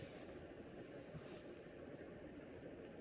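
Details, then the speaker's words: 1997 Craftmade Deluxe flushmount 42-inch ceiling fan on high speed: steady rush of air over a gritty, rumbling motor drone, with audible bearing noise; fan also wobbles slightly; owner also wonders if the capacitor is bad; cause unconfirmed. "To be honest, I'm even starting to wonder if the capacitor may be spoiled in this thing. Oh yeah, you hear that bearing noise."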